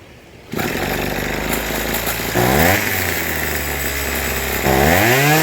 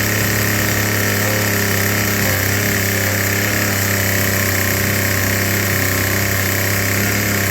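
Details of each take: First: Troy-Bilt TB2044XP 2-cycle trimmer, warm, after carburetor cleaning, new fuel lines and idle tuning: catches within half a second, settles to a clean idle, revs up twice and returns smoothly; runs properly. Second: Troy-Bilt TB2044XP JumpStart two-cycle trimmer, before service, likely never serviced: loud buzzy racket that won't settle into idle; dirty carburetor needing cleaning and tuning, later serviced with carb cleaning and new fuel lines.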